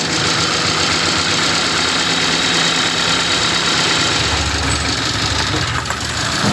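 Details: 2019 Hyundai Tucson at idle during a cylinder drop test with coils unplugged while running, cylinder 4 suspected: shaking, loping idle with an uneven knock about four a second; rough running from two disabled cylinders.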